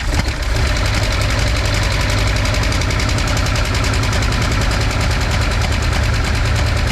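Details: V8 with a backfiring problem, run after a compression test with all plugs, wires and distributor ignition reconnected: loud, uneven, lumpy idle with a choppy low rumble; rough running persists.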